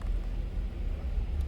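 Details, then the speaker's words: 1989 Ford Ranger or 2000 Buick LeSabre at idle with the EGR forced open to 50% by scan tool. Low, uneven, lumpy rumble that is stuttering and barely staying alive. Rough idle from excessive EGR flow. "50. sounds like it's really stuttering and 30 seconds has expired"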